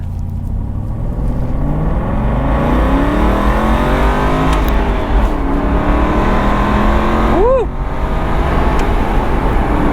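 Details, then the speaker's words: Aston Martin Vantage V8 Roadster, hard acceleration in first gear: deep, even V8 exhaust climbs smoothly in pitch with no misses or knocks. Exhaust sounds great, healthy engine. "Oh, man! Come on, tell me that is not amazing. That was awesome. Oh, she sounds good."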